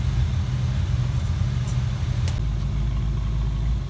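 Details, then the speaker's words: 5.0 Fox Body Mustang after ECU repair (capacitors replaced): smooth, even low idle rumble with no misses, knocks or hunting. It sounds much healthier than before and is running well. "sounds a lot healthier i think that's what fixed sounds like"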